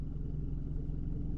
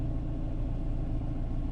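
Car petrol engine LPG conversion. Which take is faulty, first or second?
second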